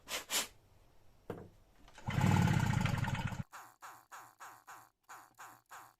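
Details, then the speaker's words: Stihl BR 340 backpack blower with a replaced pull start, refuelled with fresh ethanol-free 50:1 mix, throttle wide open and choke on: pull starts give a brief rough burst that dies, no catch; water left in the lines and carburetor prevents starting. "still gonna have that water in the lines and in the carburetor all right so let's open this up put some starter fluid in and see if we can get it going"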